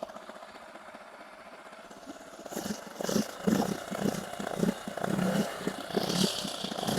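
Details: 8 hp four-stroke outboard, rebuilt after a broken connecting rod from running without engine oil, restarted in neutral: it picks up and takes a few quick blips, revving cleanly and settling each time; running healthy.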